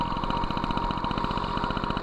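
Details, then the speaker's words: MBK 51 Magnum, stock engine, Dellorto PHBG 15 BD carb with 48 idle jet and 68 main jet: even with the mixture screw fully closed, idle keeps climbing with fast two-stroke popping. The 48 idle jet is too big. "régime s'emballe ça veut dire que le 48è trop gros"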